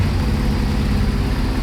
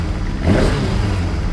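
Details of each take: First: Kawasaki ZXR750 H1 four-cylinder after carburettor balancing: even, steady idle with a smooth low hum and no hunting or stumbling; tone changed, normal idle, carbs not yet perfect. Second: Kawasaki ZXR750 H1 four-cylinder after carburettor cleaning, first start on a start pack without choke, not yet warm: catches and takes a quick blip, running lumpy and uneven; sounds terrible, carburettors unbalanced.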